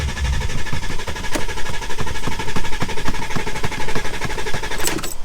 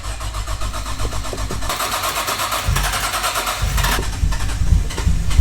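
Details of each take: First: Volkswagen Touareg diesel with earlier limp mode and glow plug light issues: starter turns the engine over in a steady rapid chug about five beats a second but it never fires; crank no-start. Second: Nissan Skyline with RB engine, started after being parked a long time: slow uneven cranking for under two seconds, then it catches and settles into a steady, rough idle. Oil pressure is good; it starts fine.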